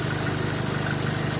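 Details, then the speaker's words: 2013 Chevrolet Colorado after the alternator pulley was replaced, idling with the aircon load on: smooth low idle and an even hum with no ticking from the front accessories; the pulley noise is gone. "Yan yung pulley na yan ng alternator. Tahimik na. Ayan. Tahimik na ngayon, Joel."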